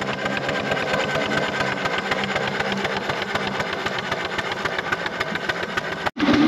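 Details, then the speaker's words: 4" Foster steam traction engine after boiler work, winter steam test at low pressure (about 20), first drive under steam in a while, no tube leaks; quick, even chuffing at about four beats a second, no knocks or leaks. Normal running. "power up into big wheel just pull in that 60 L sounds good"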